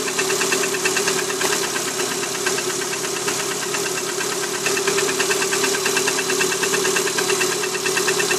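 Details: Cold Lada Priora 126-series petrol engine at idle on a 10 °C morning: a sharp, hollow metallic knock about three times a second over the engine note. Piston slap traced to cylinder four (knock stops with its coil removed); cured by repair.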